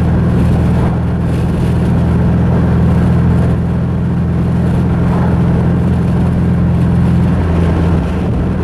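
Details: Mazda 3 engine after a clutch dump blew it up: deep steady drone with an uneven, lumpy beat and a stumble near the end, running rough after internal damage.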